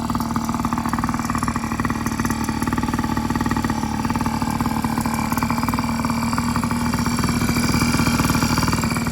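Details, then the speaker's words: Yamaha PW50 two-stroke after full rebuild (carb, cylinder top end; has compression and spark): crisp, even buzz holding steady speed with no misses, knocks or rattles; running normally. "everything rebuilt carb cylinder top end has compression has spark all right i'm about to start this up so we can hear it run"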